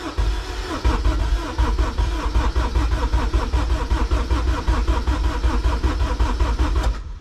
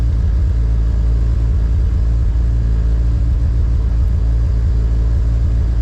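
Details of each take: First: K24-swapped Honda EG before first start, injectors disconnected to prime oil through the system: even, rhythmic cranking for about seven seconds with no firing, knocks or grinding, then stops cleanly; engine turns over freely. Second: K24-swapped Honda EG on K Pro, first start-up, cold and with no idle air control valve fitted: loud, low uneven rumble with the idle wavering rather than settling; it cannot hold idle on its own.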